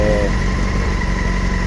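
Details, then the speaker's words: 2007 Honda Hornet 600 four-cylinder after fixing the leaking vacuum hose and re-synchronizing the carburetors, cylinder 4 connected directly: steady even idle, smooth low drone, no stumbles or misses, responding better; normal idle. "aqui é conectado o quarto já direto [Música] melhor agora respondendo melhor"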